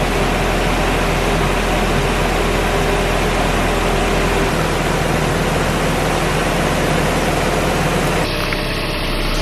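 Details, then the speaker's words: Nissan 240SX convertible after the timing chain rattle fix, running for a couple of minutes: a steady, even petrol idle with a low hum. The earlier knocking rattle is gone. "guys the car has been on for a couple minutes and the rattling noise has not come back yet so I think we are good"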